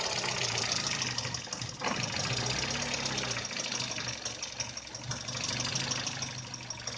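Uneven, loping idle with an irregular stumble about three times a second; the engine is idling rough, cause not pinned down. Cause suspected, not confirmed.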